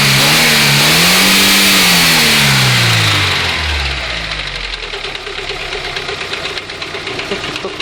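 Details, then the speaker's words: VW Golf 2 1.6 engine, knock heard near the first spark plug, suspected lifter or camshaft. It revs and drops to idle with sharp regular tapping near three per second. Cause: failed timing belt idler roller bearing with balls fallen out, replaced. "вот она вся причина которая была стука ролик развалины шарики шарики скатились вниз все и он стучал стучит как зараза утаиться и гремит"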